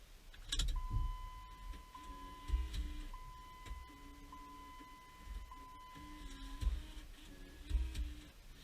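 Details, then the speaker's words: 2006 Jeep Liberty after BCM replacement with the battery reconnected and the key turned on. The stock radio's CD changer behind the dash gives a steady faint tone and soft clicks and whirs. This is its normal start-up initialisation. "Okay, that noise that you just heard, that was the CD disc changer behind the dash for the stock radio. Whenever you disconnect the battery and reconnect it, then turn the key on, it does that."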